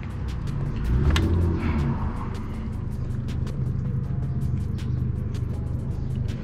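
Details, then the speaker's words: Jet ski bought at auction as a non-runner, 132.8 hours, now running after a few hours' work: a steady, even drone after a small rev blip, with music behind, and the drive heard engaging at the back; sounds healthy. "i can hear it engaging at the back she works so that"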